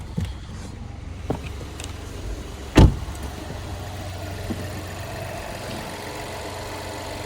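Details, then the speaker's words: 2021 Chevrolet Trailblazer LT, 1.3-litre turbocharged engine, salvage-auction car missing parts, started and idling: low, steady, even hum with no knocks or misses, just door and handling thumps; engine sounds perfect, normal idle. "it will start they got that engine sounds perfect"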